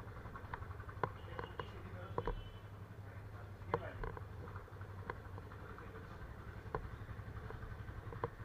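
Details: Yamaha FZ25 started after sitting for 2 months, battery checked: a low, even thumping idle with a settled beat and only the odd light tick, idling steadily.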